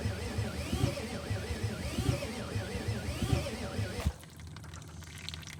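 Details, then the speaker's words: 1986 Ford F350 6.9 diesel, with a new fuel filter and the injector lines cracked to bleed: slow, steady cranking pulses, about two a second, with no firing before the starter drops out. Cranks but will not start. "all right so I couldn't get it started"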